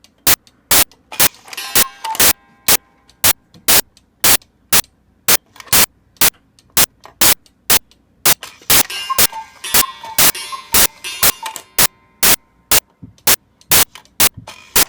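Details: Repaired cuckoo clock, damaged in shipping, bird reattached, bellows refabricated, pin adjusted after trouble staying running: crisp, regular ticking with a soft tinkling tune playing cleanly; normal music play.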